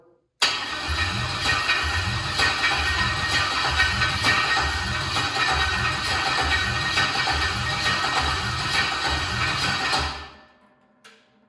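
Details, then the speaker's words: Boat project engine pulled from a junkyard vehicle, first cranking test before fuel is pumped up: starter spins the engine in an even chug for ten seconds, water coming out of cylinders, never catches; cranking dry, no start without fuel. "this is just a cranking test we don't have the fuel pumped up yet but a little nervous"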